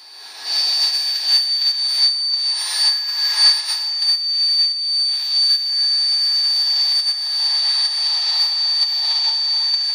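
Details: GM 3800 Series II petrol engine: loud steady high-pitched whistle, worst cold, almost gone warm; vacuum leak at upper intake manifold gasket, fixed by replacing the gasket.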